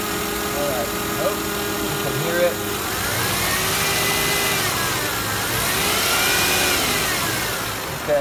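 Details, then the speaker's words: 2001 Toyota Camry V6 at idle with a roaring noise, worse when cold, AC on or off, microphone near the alternator: coarse whirring roar with a high hiss; the noise stopped with the alternator plug unplugged and scope ripple showed a bad diode, so the alternator was replaced. "So I took this plug right here on the alternator right there and unplugged it and ran it, and the noise was gone."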